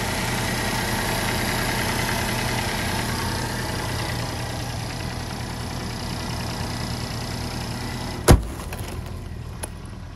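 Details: 2012 Chevy Equinox 2.4-liter after a serpentine belt replacement: steady, even low idle hum with no belt squeal or chirp, the engine running smoothly, and a door shutting near the end. Normal idle.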